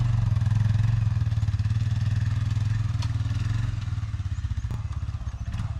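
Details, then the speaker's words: 1997 Arctic Cat Bearcat 454 ATV after carburetor repair, following 1.5 years sitting, on a December shakedown ride: even, steady low thrum with a regular beat, no knocks or rattles; running cleanly. "Well, I think we gave her a pretty good shakedown run and everything seemed to work fine."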